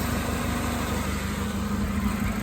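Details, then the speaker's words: 2005 Chevy Malibu 2.2L, 250,000+ miles, warm idle after a test drive following a head gasket replacement. Steady low idle with no knocks or hunting; coolant holding, no leaks. "Made it home. She's running. Still got coolant. I don't see any leaks."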